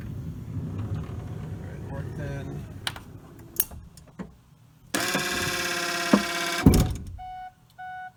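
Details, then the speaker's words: 2017 Kia Sedona left driver-side sliding door actuator (part 81440-A9511): a strained motor buzz of about two seconds, then a stop with chimes; it intermittently jams and fails to flip the lever that unlocks the door cables. "see it the motor is trying to operate it usually gets jammed once there it goes so again that all that sounds coming from this device it intermittently will not flip flip this lever which unlocks allows the cables to be pulled"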